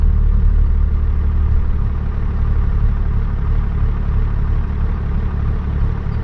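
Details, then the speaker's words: 12-valve Cummins diesel truck with compound turbo kit after sealing a boost leak, warmed up, pulling off in first gear at about five psi boost: deep steady drone with even firing, no hiss or chuff; boost system healthy. "all right so uh the truck is feeling really nice so just taking off first gear five pounds just like that"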